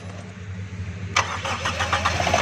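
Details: 1982 Toyota Corolla with a new battery that would not crank, fixed by cleaning carbon buildup inside the battery terminals: starter catches cleanly and the engine picks up into a steady, even idle with no stumbling; healthy restart.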